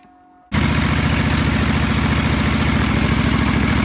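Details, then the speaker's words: John Deere 425 mower with coolant leak, broken choke cable, weak battery: after a pause engine catches into loud uneven lumpy firing with no steady beat; rough running, cause unclear. "Now, this is not the best running machine in the world."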